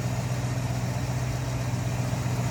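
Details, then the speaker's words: 1964 Mercury Comet Caliente convertible, Ford V8 with carburetor, hood open: deep, even burble at steady idle with no misses, knocks or ticks; a smooth-running, healthy V8. "Ford V8 powered. Gotta like those valve covers. Poly carb. Again, smooth runner."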